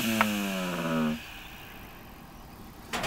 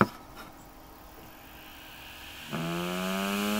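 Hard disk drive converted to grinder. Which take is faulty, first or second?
first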